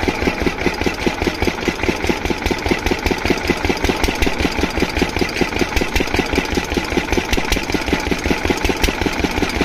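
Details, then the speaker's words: Diesel water-pump engine, after fixing the no-start caused by no fuel supply, idles with a steady, even thump at constant speed and no misses or knocks; running perfectly, no problem. "तो दोस्तों यह engine बिल्कुल perfectuli चल रहा है इसमें कोई दिक्कत नहीं"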